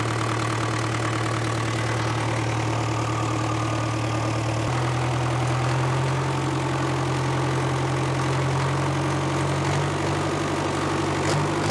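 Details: 1970s Cat D330C 4-cylinder diesel generator set (90 kW standby), sat 10+ years, throttle opened to wide open with no load, coolant not yet warm: even drone rising in pitch, no knocks or misses, smoking a little; small coolant leak; normal.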